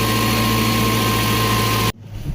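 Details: 2007 Jeep Compass 2.4L with lightning bolt light and no-acceleration complaint (P0108, P2118, P2110 codes), after repair with no codes and throttle revving: steady even idle hum, constant low drone, no misses or knocks, then abrupt cutoff; healthy idle.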